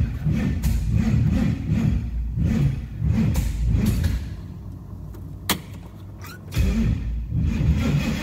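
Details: 1970 Nova old-school drag car V8, started with a jump pack: deep lumpy idle with crisp, repeated throttle blips that rise and fall cleanly, no knocks or misses; normal idle and revving.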